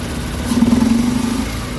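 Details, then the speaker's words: Mitsubishi Lancer petrol engine idling roughly with an uneven stumbling beat, cylinders not firing properly despite head work by mechanic; random misfire (P0300) traced to failing ignition coil. "ये missing कर रही है गाड़ी इसके cylinder नहीं कम कर रहे हैं"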